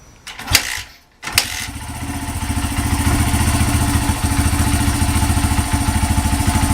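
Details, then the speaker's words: Honda CRF80F single cylinder after sitting, first start with new NGK spark plug and fresh gas, choke on, in neutral: brief cranking, then even, steady idle with a regular beat; runs smoothly. "Pretty smooth. The choke is on. Yeah, but that sounds pretty damn smooth."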